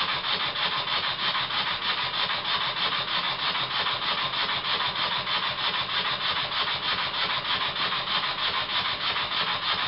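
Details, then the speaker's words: Very old Bassett-Lowke steam plant engine resembling a Stuart S50, with the flywheel just fitted and run on air, air leaking at the pipe on the steam chest cover; quick even chuffs about three per second over a steady hiss; runs smooth with plenty of power. "I thought it would be a good idea to fit the flywheel and give it to run and I must admit I was really surprised how well it ran"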